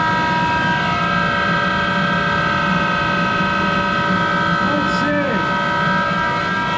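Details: Monarch 10EE precision lathe, original drive, extremely worn; motor-generator running as spindle starts, about 400 RPM: steady loud hum with several fixed whining tones at constant speed; worn bearings in the motor-generator set.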